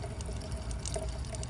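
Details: BMW 335i running its automatic cooling-system bleed cycle: a steady trickling pour with gurgles and bubbling bursts as coolant returns to the tank. Air pockets are still being purged.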